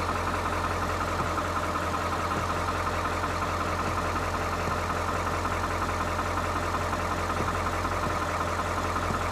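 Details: 1997 Ford F350 7.3 turbo diesel, former service truck, after starter replacement and wiring work: even, steady idle with a deep rumble and regular light clatter, no misses or knocks; normal diesel idle. A fuse keeps blowing, cause unknown.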